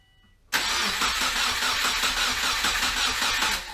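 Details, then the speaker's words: Subaru Forester with rebuilt EJ251 engine on first start after reinstallation: short crank then raspy, rumbly idle with puffing exhaust chuff from a leaking front pipe. "well the front pipe is definitely leaking sounds rumbly though yeah makes about the same amount of noise as it did and you can hear it does quiet down considerably after it warms up"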